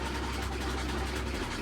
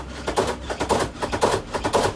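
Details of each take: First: Samsung WA48H7400AW/A2 washer at about 1,000–1,030 rpm spin after suspension rod work: steady low drum rumble, some noise left but no heavy banging; much quieter than before, quieter spin cycle. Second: Samsung WA48H7400AW/A2 top-load washer on test spin, around 200 rpm and building: hard clattering knocks about twice a second, keeping pace with the spin, as the tub swings out and strikes the cabinet; the four corner suspension rods are recommended for replacement.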